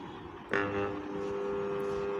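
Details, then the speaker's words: Ceiling fan on power gives a steady electrical hum but does not rotate, with no spin-up; fault traced to burnt winding connections. "ये जो fan है हमारा रोते नहीं कर रहा है सिर्फ हमारा हमिंग साउंड नहीं निकाल रहा है"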